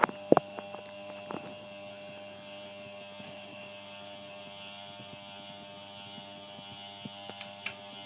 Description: My ceiling fan is making a loud buzzing sound and also the 3 speeds it had now do not seem too work please can somebody let me know how too fix